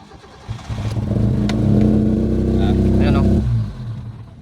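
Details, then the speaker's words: Mitsubishi GSR manual, dies on first start and RPM hunts, worse with A/C: catches and runs roughly about three seconds then sags and dies; stall after start, throttle body and air passages found clogged. "Ayun siya anan nanginginig tapos patay ulit ay patay ayaw niya diretso start"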